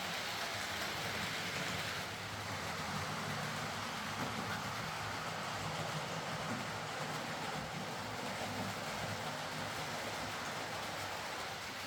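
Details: Hornby R.372 Class A4 "Seagull" model locomotive, tender drive, running after repair: soft, even rolling whirr with light wheel rumble, no stutters or surges. Stop-start running was likely from excess axle oil spoiling electrical pickup. Runs fine and quiet.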